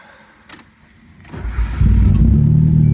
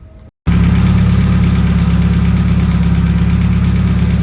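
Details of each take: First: Mazda Miata, first start after a timing belt and water pump install with timing corrected: cranks and catches, then an uneven, lumpy beat around four pulses a second. Owner suspects leftover extra fuel; after a spark check it ran fine. Rough running after start. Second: Mazda Miata after a timing belt and water pump install, coolant bled: steady, even low rumble with no knocks, misses or squeals. Running good, no overheating on the test drive; normal idle.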